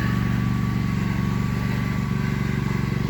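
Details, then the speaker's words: WEN GN400i 4000-watt open-frame inverter generator in eco mode, heard from a distance, noticeably louder than the super quiet model: constant, even low drone with no speed hunting or knocks; normal running in eco mode. "Okay, that's with the eco mode on. You can tell it is louder."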